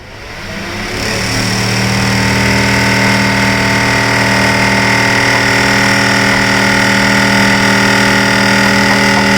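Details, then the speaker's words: Kitchen exhaust fan with all four mounting screws tight: loud, steady hum with a strong, even tone after spin-up. "तो यह exhaust fan है यह अच्छे से tight है सब कुछ है फिर भी यह बहुत आवाज करता है"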